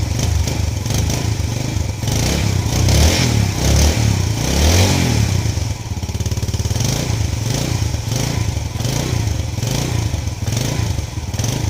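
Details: Yamaha Lagenda 115 scooter, hard cold-morning starting, after fitting a new pilot jet: cold single-cylinder engine catches and settles into a steady, even putter with clean blips; starts and idles normally.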